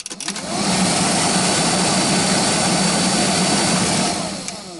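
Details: GAZelle heater blower motor, removed and bench-run through speeds 1 to 3: steady loud drone with low hum and whirring air. Noisy motor, probably worn bushings; to be disassembled and lubricated.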